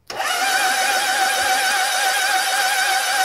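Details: Honda CB750 under restoration, starter cranking with an oil pressure gauge rigged, reaching about 40 psi: steady, even, unlabored whirring; normal cranking with good oil pressure.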